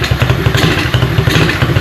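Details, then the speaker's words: 125 Blazer RFZ sport quad single-cylinder engine during tune-up, exhaust warm, air filter poorly fitting/open airflow; uneven ragged firing then it dies out, needs carburetor idle air/mixture screw tuning. "it dies out. So we do need to tune this."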